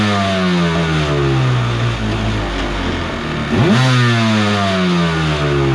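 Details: Kawasaki 750 jetski engine in a mini aluminium jet boat, run on the hose with the jet pump removed: drops off, then sweeps up cleanly to an even drone with no clatter; normal revving, earlier crazy noise traced to the pump.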